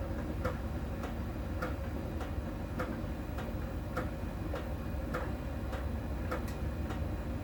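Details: Miele tumble dryer during drying: light sharp tick about once a second over the drum rumble, from a small ball sensor rolling over the drum and touching a contact spot each turn; normal, per the Miele technician.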